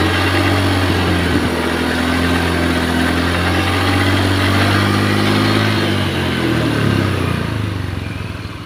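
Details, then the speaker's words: Honda Beat eSP scooter after replacing cylinder block and piston rings to cure rough engine and oil smoke: engine settles into even, steady, smooth idle with no knocks or misses, then winds down smoothly. Normal idle. "Dan ini udah kita cuci, langsung mau kita tes, coba kita hidupkan teman-teman. Mesin halus."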